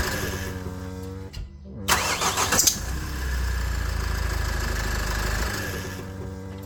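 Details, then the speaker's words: Nissan X-Trail 2.0 dCi diesel at startup: shrill wavering squeal over cranking, then settling to idle; accessory belt or tensioner suspected (water on belt affected it), fixed by replacing belt, tensioner and idler pulley. "Alors, ce couinement, en ayant surfé sur internet, ils disent que ça pourrait être soit le tendeur, soit la courroie qui est fatiguée."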